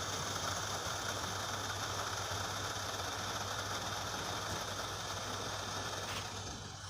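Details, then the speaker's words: Gree DC inverter AC in dry mode set to 30, room near 29.9, current dropping to about 3.7 A: a steady airy hiss over a soft constant hum is the refrigerant flowing; the unit is still running normally. "आपको मैं एक आवाज़ सुनाता हूँ, इसको सुनिएगा ज़रा। ये इसका जो रेफ्रिजरेंट है ये उसकी आवाज़ है।"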